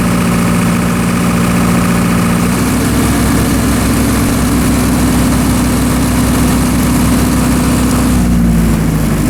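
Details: Military surplus diesel generator, restarted after years in storage, taking large loads during phase overload-trip tests outside: a deep drone dips slightly as the load hits, then holds even; little droop, no spurious trips, operating properly.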